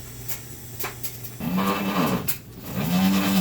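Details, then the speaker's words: Brand-new LG WT7800CW direct-drive front-loader, the second unit delivered, lets out loud moaning, grinding scrapes as the drum turns, audible with the door closed. "LG WT 7800 CW machines mate that is not normal I'm gonna back out so you can hear it how loud it is"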